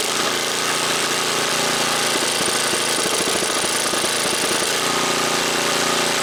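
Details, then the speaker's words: Snapper snowblower, first start after sitting a month: small single buzz, then beat turns uneven and lumpy with choke fully on; stumbling from over-choking. "so it was sitting for a month like this and you actually could hear it when it's all the way out it's starting to choke"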